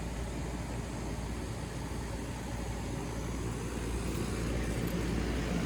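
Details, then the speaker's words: Lennox AC condenser after fitting a new USA Mars 10 run capacitor, briefly powered on before mounting it: steady even low hum from fan and compressor with no rattle, buzz or stutter; running normally. "sounds good feels good so let's mount that cap"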